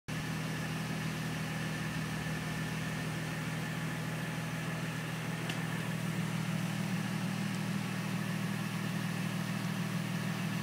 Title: SLK Whining Noise